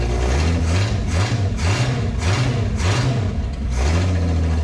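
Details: 1968 Ford Falcon after exhaust blockage removed, brief run without radiator hose: deep crisp exhaust with quick throttle blips rising and falling cleanly, no choked breathing; now rips, healthy.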